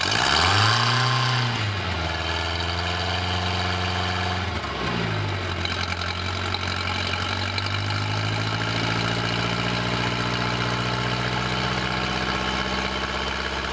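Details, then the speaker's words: 1986 Four Winns 170 Horizon boat, 3.0L carbureted MerCruiser, first start after winter storage: needs some cranking to fill the carburetor, brief flare, then a steady, even idle with a smooth low hum and no knocks or misses. "started up pretty good. I mean, it took a little bit of cranking probably to get the holes filled up in the carburetor. But it's running good."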